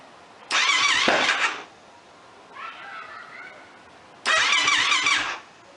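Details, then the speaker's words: Project YFZ quad, just regained spark and given an oil change: two bursts of starter whirring, engine turning over without catching; crank no start, owner suspects fuel delivery, possibly flooded, with fuel flowing from the overflow. "We've got Spark, and it's got to be a fuel delivery issue now. As you see, we're kind of cranking away on it."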